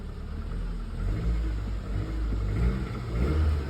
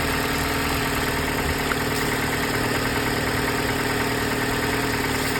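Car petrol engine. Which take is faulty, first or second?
first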